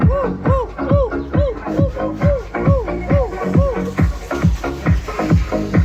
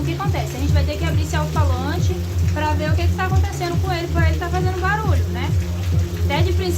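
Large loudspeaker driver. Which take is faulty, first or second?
second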